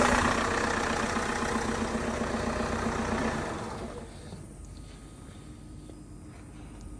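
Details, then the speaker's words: 2013 Vauxhall Insignia 2.0 CDTI diesel (A20DT) after timing belt and water pump replacement: it catches, revs briefly, then settles to an even idle with no knocks, rattles or belt squeal; auxiliary belt runs true, normal. "So that's struck up nicely there, everything sounds spot on."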